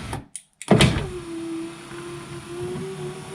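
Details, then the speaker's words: Passenger-side electric window on a 2004 VW T5 Combi, slow and noisy, after reassembly: a big clunk midway, then a strained motor hum as the glass creeps slowly, the regulator cable audibly struggling. "okay so it works but there's a big clunk in between"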